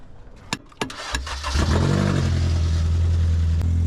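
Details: Engine of a vehicle that sat unused for six months and wouldn't start, suspected of a sticking starter, cranks with a few taps, fires, then settles into a deep, loud, boomy idle; far too loud because the catalytic converter was stolen.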